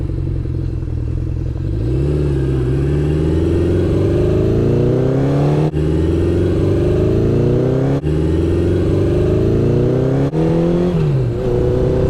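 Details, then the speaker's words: 1972 Honda CB750, after ignition parts, carburetor rebuild and plug cleaning: revving four-cylinder repeatedly cuts out in sharp gaps then recovers; suspected dirty contacts in the right handlebar control carrying ignition power, fix unconfirmed. "Well, this may or may not be the fix, but I started disassembling the right bar control because that is what ignition power runs through, and I feel like it had like dirty contacts."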